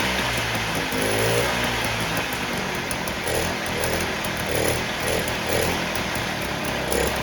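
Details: 1958 Allstate (Sears) Vespa 125cc two-stroke just cold-started after sitting about a year: buzzy idle holding a fairly even rhythm as it warms up, no misses or rattles; runs smooth.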